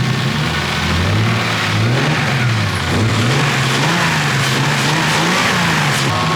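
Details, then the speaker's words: BMW E36 with newly built swapped engine after break-in and fresh oil, warm: pitch climbs and falls smoothly through several revs with no knocks or ticks; lifter noise much reduced, quiet and healthy. "It sounds super quiet in here. It sounds quiet out here too."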